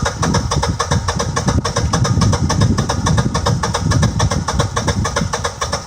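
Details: Generac 6244 20 kW standby generator, gas measured 5.5 in water column at the sediment trap: steady cranking about three or four beats a second without a clean catch; hard start from undersized 3/4 in supply pipe, fixed with 1-1/4 in pipe.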